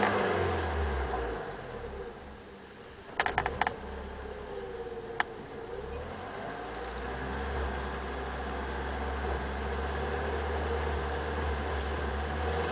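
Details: BMW E30 318i M40B18: revs sag and stumble around 2000 rpm, occasionally; caused by a vacuum leak from a loose vacuum hose, fixed by replacing the rubber pipe.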